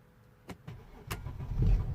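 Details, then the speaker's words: Mercedes ML320 CDI W164 OM642 diesel warm start; starter clicks, short crank, fires and rumbles up straight away, though cold starts remain poor and code 2270-4 is logged. "started fine straight away as you have seen yeah but if I let it to cool down now only a bit it will do exactly the same thing again"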